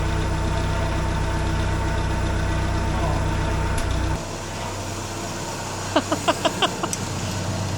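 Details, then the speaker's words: 1950 Willys M38 Jeep engine, first start in over 15 years after new wiring harness, fluids and redone fuel system: cold idle, choke taken off then put back on; low steady thrum settling into even clean idle, likes a little choke. A fuel leak was spotted. "Taking the choke off. Oh, putting the choke back on. Definitely likes a little choke."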